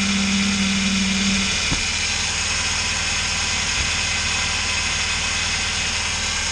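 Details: Vehicle idling after slipped drive belt replaced with spare, viscous fan clutch removed: steady even idle with constant hiss, no knocks, rattles or rising whine; normal idle.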